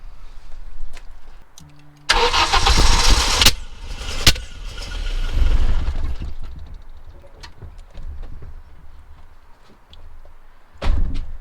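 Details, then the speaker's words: Audi 2.2 Bosch K-Jetronic, too old for an immobiliser, new injectors fitted, one injector removed to check spray: short steady cranking with no firing; no fuel came from the injector, cause unknown. "nothing nothing but there was no fuel coming through there at all so I haven't a clue to be honest"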